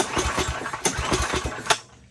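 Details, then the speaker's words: Old Craftsman snowblower, sat unused for years, whose starter had quit; pull-cord cranking gives uneven bursts with several compression pulses per pull but the engine never catches; cranks but won't start. "see that my neighbor is right and it doesn't start."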